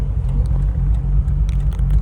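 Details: Bridgeported Mazda RX-8 rotary at about 3,000 miles has a deep, lumpy idle with stumbling misfire pulses; the engine light was flashing and it idles worse with accessories on; coils, plugs, injectors or apex seal failure are suspected.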